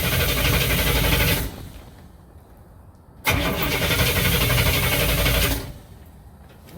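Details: 1967 Cadillac hearse engine, unstarted for over a year, after top-end checks and repairs, cranked in 5-second bursts to build oil pressure before first start: two bursts of even, brisk cranking at about four beats a second, no catch; starter and compression sound healthy.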